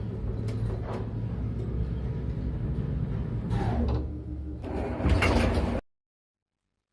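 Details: Elevator knocking while moving: uneven low rumble and thumping as the car travels, then the door sliding; worn counterweight shoe liners, especially the lower ones, knocking and due for replacement.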